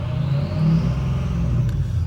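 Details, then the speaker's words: Ford 6.0 Powerstroke diesel idling at 26% ICP duty cycle with good high-pressure oil pressure, then revved: a deep, smooth rumble rising with the throttle blip, no knocks or rattles. Duty cycle and oil pressure rise with rpm, which is normal. "And then you guys watch as I rev it up, that duty cycle goes up as the H-pop goes up."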